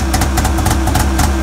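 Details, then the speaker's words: Arctic Cat 570 snowmobile two-stroke at −40°, started on the electric starter with a Varta AGM battery and full choke: steady idle with quick even exhaust popping, no misses or knocks; normal cold idle. "это он работает [музыка] это пар изо рта ну ладно хоть буду знать что он заводится"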